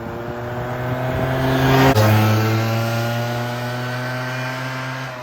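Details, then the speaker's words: 2006 Suzuki Quadsport LT80 two-stroke after carb cleaning, carb setting returned to stock position (ran a little rich at lower rpm) and airbox refitted (runs lean without it): revs up and settles into clean steady buzz, no stumbling or rich burble; healthy. "So, I put it back in the stock position. With the airbox on, it definitely makes it run better cuz without it, it definitely uh acts like it's running lean."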